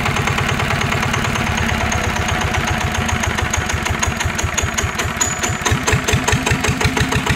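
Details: NF19 water-cooled single-cylinder diesel (original and unmodified), healthy: steady, even thumping at about seven beats a second, easing slightly, smooth and strong with no vibration or shaking.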